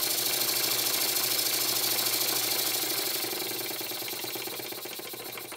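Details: Very old Stuart S50 steam plant engine, reassembled with a new valve rod and valve timing set fairly accurately. Crisp, even chuffs at a little over three per second with a light hiss. Normal running with plenty of power.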